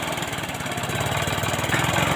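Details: Honda Supra X 125 smoking heavily white, no power, exhaust full of oil: uneven idle with rapid irregular crackle/knocking over a lumpy exhaust beat; owner suspects a blocked exhaust/muffler filter; rough running with knocking.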